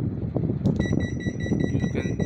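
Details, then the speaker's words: Panasonic inverter air conditioner with compressor not running and no blinking LED, remote in check mode: steady high beep over low room rumble and hiss, confirming error code H59, a faulty eco patrol sensor. "this is h59l that's 59 means there is a Eco sensor this is the ecosensor which is faulty due to that it's showing the error"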